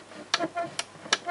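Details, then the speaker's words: Dehumidifier salvaged from bulk waste, under repair for a faulty air circulation fan: a few crisp, unevenly spaced clicks as the water tank-full micro switch actuates; level switch works. "Voilà, donc on entend le clic, donc ça il fonctionne. C'est la même chose, hein, donc une fois que l'eau voilà, donc, en fin de compte, le système du remplissage d'eau fonctionne, donc l'interrupteur, le micro switch qui est derrière, lui fonctionne."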